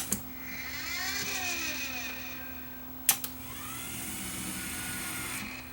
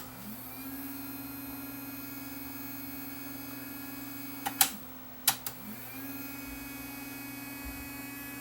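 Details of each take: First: Luxman KX100 cassette deck, motorized door mechanism powered after removing motor to check for a broken belt: small motor whirs with gliding pitch between sharp clicks as brass cam turns and switch stops and locks it; normal motorized panel operation. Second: Luxman KX100 cassette deck with a non-working motorized loading door: the small motor hums at a steady pitch but does not turn the cam gear that pulls the unit in. A belt that came off or broke is suspected, not confirmed.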